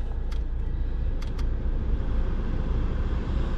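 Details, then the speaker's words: Mercedes A170 heater blower motor after service with brass bearings lubricated and genuine resistor/control replaced; steady even low whir with no squeal, rattle or grinding, normal blower fan running. "Qui after service the motor put a little bit of the dw40 make the brass bearings inside the bearing more smoother and more healthier"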